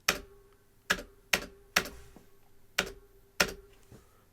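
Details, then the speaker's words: New Logitech G413 Carbon mechanical keyboard, tall keys, while typing. Each keystroke followed by a short high metallic ring like an echo; owner hears spring ping, first ruled out body resonance, wonders if lubing keys would help. "it does have like an echo you can hear the spring"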